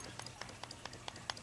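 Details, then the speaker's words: Empty Colt Gold Cup Trophy 1911 pistol shaken by hand: light metallic clicks about every fifth of a second from slight slide-to-frame play, a normal rattle for these guns, nothing worn out. "you'll hear a little bit of rattle. Okay, so let's talk about that rattle on this nice Colt Gold Cup."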